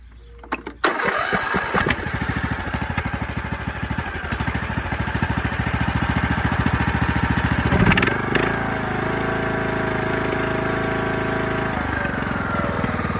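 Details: Used Craftsman DLS 3500 limited-edition riding mower, previously surging at start, after $20 carburetor kit with new fuel filter, fuel line, plug and gaskets: catches after a few cranks, steady even single-cylinder beat around 200 per minute; normal running.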